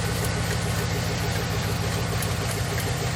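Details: 1997 Lexus LX450 with 5.3 LS swap and 6L80, idling after coolant sensor reconnected: steady low V8 idle, even beat, no belt chirp or squeal; belt not riding up the crank pulley, belt drive quiet and healthy.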